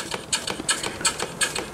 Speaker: okay here is the little engine running a little bit of a noise but nothing major